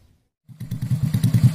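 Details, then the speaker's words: C-series semi-racing engine build with Juve piston, BRT T1 camshaft and double ball bearings, test-run; catches and settles into a quick, smooth, even beat, loud exhaust; normal idle. "Dan ini mesinnya sudah hidup dan suara mesinnya awet sekalian halus sekali suara mesinnya cuma suara knalpotnya juga agak besar ini jadi suara Mesinnya tidak terlalu kedengaran"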